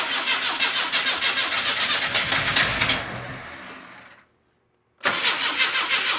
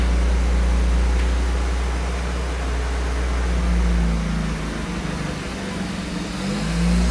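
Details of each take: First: Car sitting in a garage since 2000, first start attempts with fuel squirted in, injector pulsing: rhythmic starter cranking, brief pause, cranking again, never catches. Cranks but won't start; flooding or too much fuel suspected, not confirmed. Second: 1982 Firebird (also called an 81 Camaro) on its first start after sitting 25 years: a smoky, steady even rumble with 50 lb oil pressure, a charging battery and idle at about 1,800 rpm, which sounds healthy.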